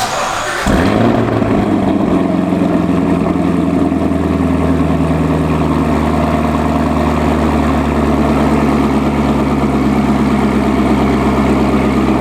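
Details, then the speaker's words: C7 Corvette ZR1 supercharged V8 after a check engine light saga: starts with a flare, then settles into a deep, even burble with a faint supercharger hum. Not missing, no check engine light, no misfire heard. Normal idle. "Seriously though, guys, we're about to jump in the car, take it for a spin. Everything sounds good. It's not missing. There's no check engine light. There's no misfire that I can tell."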